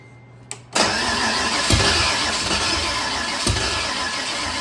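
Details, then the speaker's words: Budget Fox-body Mustang with new intake fitted, timing being adjusted while cranking: starter churns, engine catches raggedly but won't idle; owner suspects too little fuel because fuel is leaking down the bell housing, not timing. "I think we're not getting just enough fuel because of how much is leaking on this side."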